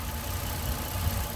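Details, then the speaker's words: 2009 Ford Mustang 4.0 V6 after thermostat housing replacement and coolant refill, no coolant smell: steady, even low idle rumble with no knocks, ticks or misses; normal idle. "Engine sounds pretty quiet, not smelling coolant, so I think we got it licked this time."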